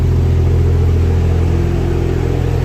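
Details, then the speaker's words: Barra-swapped Toyota JZX100 straight-six on standalone harness, first start right after cranking for oil pressure: strong, steady, even idle with no knocks or ticks; normal idle. "motor sounds mint oh man I'm excited oh I just can't believe that actually just started straight up"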